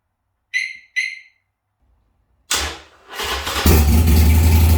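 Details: Harley-Davidson Sportster after a short to the ECM was fixed, error codes cleared and a new battery fitted, started with the main fuse back in: two short chirps, starter whir, then a steady, lumpy low idle; running fine.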